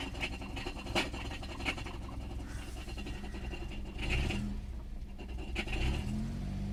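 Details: Car idling under 950 RPM with clutch pedal pressed: irregular scratchy rattle and a few sharp clicks heard whenever the clutch is disengaged, problem persisting for three years, cause unknown.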